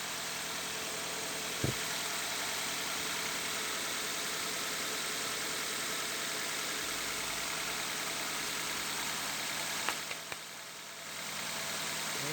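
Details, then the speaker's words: Car at idle after baby powder was sprinkled on both accessory belts to cure a squeal ahead of winter: a steady, even idle with a smooth hum and no belt squeal or chirp left. "Все, запускаем машину. Вот, перестал пищать ремень."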